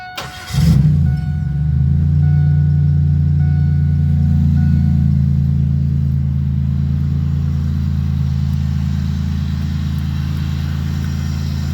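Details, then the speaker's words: 2002 Pontiac Grand Prix whose seized engine was freed, then given an oil change and new spark plugs: quick crank, immediate catch, then a smooth, steady low idle with no knocks or misses; normal start and idle. "so once they did the oil change and all that on it to put new spark plugs in it and this is what it does now"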